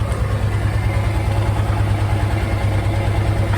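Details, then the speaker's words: 2003 Kawasaki Teryx UTV, 2,500 miles, rebuilt engine, new smaller Walmart battery, idling after starting: steady low putter at about three beats a second with no knocks, misses or hunting; normal idle. "Right up, baby. The old green monster's running. The old Tyrex."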